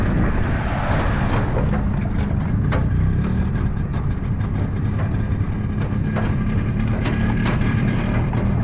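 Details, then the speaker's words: Yamaha G1 golf cart two-stroke after an engine rebuild, running in reverse as it starts: an even, crisp, steady drone under load with no knocks, misses or surging; sounds good. "it's a G1 so of course it starts in Reverse so that it sounds nice and Cris by he that that stroke that you know the crispy sound it sounds good"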